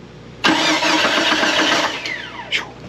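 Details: Jeep Cherokee (RHD) that ran fine then acted up on the road, after days of part swaps and a transmission replacement: brief crank, catches at once, settles to steady idle; clean, healthy start, fix not yet proven.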